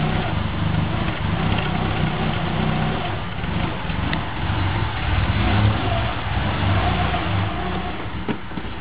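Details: 1998 Subaru Forester, cold, about a mile after first morning start, idling in heavy traffic: idle swells and sags instead of holding steady; seemingly fixed by cleaning idle air control valve, MAF sensor and throttle body; idle hunting.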